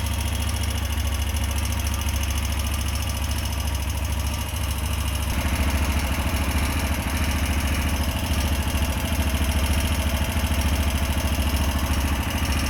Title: TVS Apache 160 4v new edition engine sound problem 😰😰😰